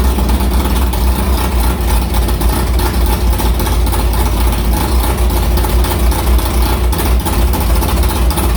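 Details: Carbureted V8 hot rod with Prosystems carb, idle air bleeds changed .070 to .055 after a track carb issue, ~80°F day, fired up quickly; steady, slightly lumpy idle with even beat and no stumble or misfire, a normal idle.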